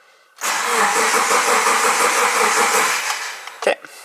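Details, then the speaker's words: Subaru Forester unused four months, new battery, ignition fuse pulled to prime oil (known head oiling issues) in winter cold: about three even starter turns per second for three seconds without firing; intentional crank-only priming. "And honestly, I'll do one more because I know this car has oiling issues, especially to the heads."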